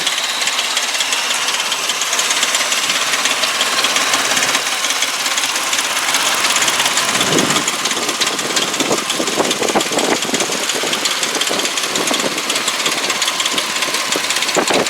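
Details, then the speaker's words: 2004 Mercury Mountaineer AWD V6 at idle, warm day: light, fast metallic rattle over a thin engine sound; mechanic suggests timing chain guide springs lost tension, letting the chain loosen. Timing chain rattle suspected, not confirmed. "Alright, a little noisy. You can hear the timing chain. It's a little loud, but I talked to my mechanic."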